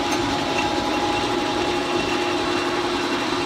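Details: Leblond 19-inch lathe with a 5 hp motor, idle for 10 years, after new motor bearings and a gearbox oil change: carriage power feed gives a steady, even whir with a constant mid-pitched gear tone, no knocks or surges.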